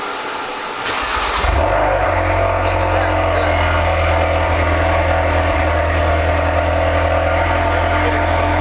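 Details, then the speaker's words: Ford Focus RS, manual, started after fuel filter change, new intercooler fitted and battery disconnected: starter catches after a second, then a smooth, steady idle with no misses or knocks; normal idle, no fuel leaks. "Okay, we're good. That's tight. That's tight up there. I got no leaks."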